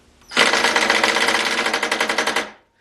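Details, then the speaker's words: Ryobi impact driver, a few years of hard use, brushed motor with non-replaceable brushes, reassembled after a teardown that showed almost no internal wear: a fast, even rattle of hammer blows for about two seconds, then a clean stop; normal impact mechanism. "that sounds fairly so not exactly the most linear speed and it almost seems like it's got more torque before it kicks over to that high speed they're just kind of rattles"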